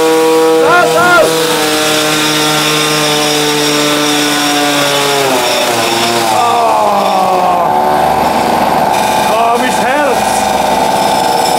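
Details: Tuned Peugeot 103 moped two-stroke with a special resonance exhaust fitted, runs a high, clean wail steady at full revs, dips as the throttle eases, then climbs again; engine runs strong and healthy.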